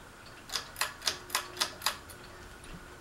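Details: Fasco Vanity Fair ceiling fan with a broken flywheel: six sharp, even ticks at about four per second over a faint motor hum. The housing is loose; the owner thinks someone tried to remove the flywheel.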